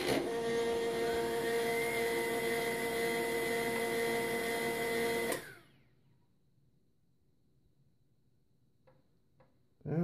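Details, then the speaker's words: HP LaserJet 1200 laser scanner motor after lubricating with oil, toner and paper tray removed, test run before full reassembly; steady even hum with clean tones for about five seconds, no squeal; quiet scanner motor. "it seems to spin pretty freely and we're going to put it back in and give it a try"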